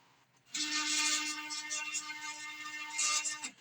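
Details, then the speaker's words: Small homemade CNC router, steppers on controller with higher jog speed: steady clean tone about three seconds under bright hiss, no stutter or growl; smooth stepper jog. "that's actually smooth compared to a lot of your homemade or home operated CNC routers machine CNC machine Mill routers um but it seems like I've actually got smooth action"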